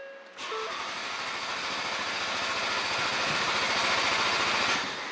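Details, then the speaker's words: Ford Focus RS in neutral, fuse F56 (20 A) pulled to bleed fuel pressure before aux injection install: steady cranking about 3.5 beats/s, barely catches then fades; crank and brief start with no fuel pressure. "You just let it run. Give it about 20 seconds. And according to them, it says let it run until it starts to choke. And it just dies. And it died."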